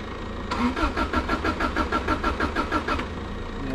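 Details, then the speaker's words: Subaru Impreza that sat a while, heavy misfire, brittle old plug wires: starter churns about three turns a second for 2.5 seconds without catching; cranks but won't start, owner suspects spark plugs, possibly coil. "it's not even firing up now so we're gonna have to change spark plugs i think"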